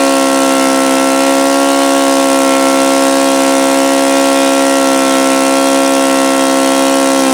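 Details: OS FS-alpha 110 model four-stroke glow engine, freshly reassembled after crankshaft bearing and connecting rod replacement, buzzes steadily at constant speed, creeping up slightly at the end; it falls well short of the review article's rpm figures.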